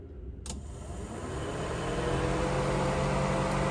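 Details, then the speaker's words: 1971 Chevelle Malibu restomod, radiator fan 1 (the low-speed fan) on a ground trigger, after fixing fan problems traced to the Holley tune: it spools up to a steady, even whoosh and hum with no rattle or scrape. Normal fan operation. "You guys hear that? Fan 1 working, okay?"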